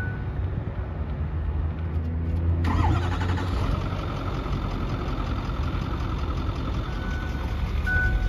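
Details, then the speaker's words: 2008 Ford F-250 Lariat diesel with 338 (thousand) miles: starter cranks, engine catches near three seconds, then settles into a quiet, even low idle with no knocks; healthy. Normal idle. "nice and quiet nice and quiet"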